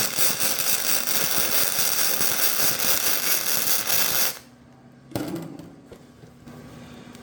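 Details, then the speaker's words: VEVOR MIG 145 inverter welder at 145 amps and 20 volts: even, dense frying crackle for about four seconds, steady and properly set, with good penetration. "so that sounded a lot better right from the get-go okay so that weld looks a lot better it sounded a lot better looks like we've got good penetration"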